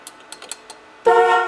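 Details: After replacing turn signal switch, wiper switch and horn cancel cam: a few light mechanical clicks, then a loud steady horn blast holding its pitch; horn now works, having not worked before.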